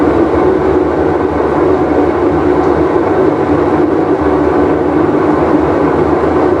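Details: Whirlpool Cabrio washer with bad bearing, full wash cycle: loud, constant roar over a steady droning hum during spin, no easing off; worn tub/drum bearing.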